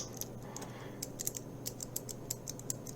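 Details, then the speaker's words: Keychron K4 with rubber O-rings on the switch stems: no bottoming-out clack, only crisp light clicks from the click bar at an uneven typing pace; normal O-ring dampened key click. "And this one doesn't have that clack, clack, clack. All you get is that click from the click bar."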